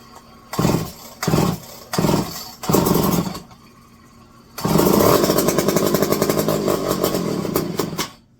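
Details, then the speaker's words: Electric-start McCulloch 510E chainsaw with a just-fitted carburetor: four short cranking bursts, then it catches with a rough, blubbering, uneven beat; running rich because the high-speed needle is set too far open. "Oh, you got way too far open on these. Remember, I just tossed this carb on."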